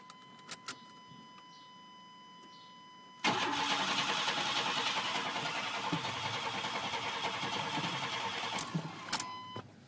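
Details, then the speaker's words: Chevrolet truck that broke down unexpectedly: chime ticks, then strong even cranking about three and a half turns a second for six seconds, never catching; apparently no fuel pump sound, no fuel at injectors. "I don't even think I've got a feel up pump cuz my injectors there's not even a trace of gasoline firing for my injectors"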